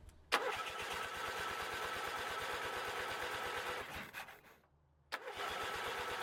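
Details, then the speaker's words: Bolens QT17 garden tractor after oil change, breaker point setting and new Autolite 25 spark plugs, with starting fluid: starter cranks with even chuffing rhythm, pauses, cranks again, never fires; crank no start, carburetor then ignition suspected. "Still nothing. Okay. Well, let's tear it down a little and get to the carburetor. Maybe that needs cleaned and rebuilt."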